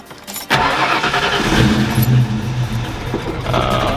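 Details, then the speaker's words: 1990 Ford Foxbody Mustang cold start: short crank, catches on a high idle, drops and runs weird and surging before picking back up; hard starting when cold, owner suspects a TPS issue. "once it like kicks the it like it'll start on a high idle and then it'll drop down and it'll kind of run weird and once it picks itself back up and doesn't stall it's fine but you can hear it surg"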